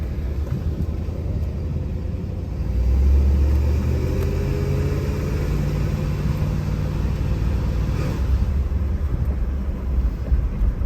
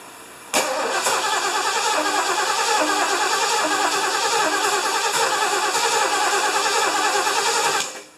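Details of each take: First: 1975 Lincoln V8 after rebuild and exhaust manifold gasket replacement, on a test drive: a deep, even rumble that pulls smoothly as revs rise, with no clacking under road noise. Normal running; the accelerator sticks slightly and transmission fluid is possibly low. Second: 1975 Lincoln, first start after reassembly, carburetor primed, vacuum lines plugged, hot shop: long steady cranking, about three beats a second, never catching; hard to start, owner unsure about choke, ignition timing believed off.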